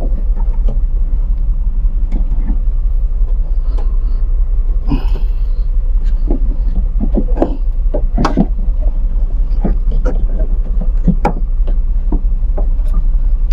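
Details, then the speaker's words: Washing machine that hummed but would not spin: a low drum rumble with irregular slaps and clicks about once a second, noisy because the drive belt is loose and slipping; the fix was flipping the belt over. "medyo maingay na eh Ibig sabihin non maluag na yung belt niya"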